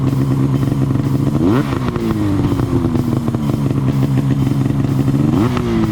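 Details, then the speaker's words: Arctic Cat ZR RR 6000 snowmobile two-stroke after new plugs and a new Mountain can exhaust: buzzy idle climbing sharply in two quick revs and dropping back cleanly. Runs strong, normal. "sounds good nothing like when I used to pipe my sleds though back in the day"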